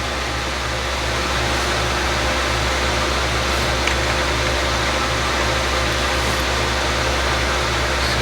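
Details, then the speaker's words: Lenovo ThinkCentre M91p desktop at startup: loud, steady rushing air roar with no pitch change; CPU cooling fan running at 100%, suspected faulty fan from a bad motherboard or a BIOS fan setting. "So yeah, you can probably hear it like in the mic that it's just getting extremely loud."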